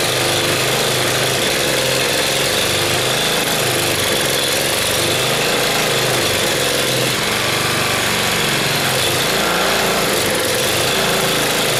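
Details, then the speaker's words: Log splitter small single-cylinder engine after carburetor cleaning, fouled gas still in tank topped with fresh: steady buzzing run with regular low pulse, no stumbling; running properly. "well it runs anyway so I probably should have taken all of the bad gas out of the tank"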